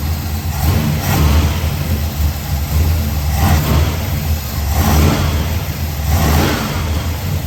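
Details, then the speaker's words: 1979 Chevrolet Caprice back on the road after sitting, carburetor not rebuilt: deep V8 rumble that swells sluggishly and sags when given gas; carburetor bogging off the throttle. "what do you do you know it's got that bog off of the gas"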